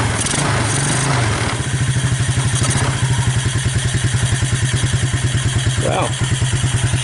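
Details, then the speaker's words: Suzuki KingQuad 300 4x4 ATV, abandoned, first start on choke after Mikuni to Keihin clone carb conversion: steady, even single-cylinder putter about ten beats a second without missing; runs normally. "I like that it sounds like she's got potential"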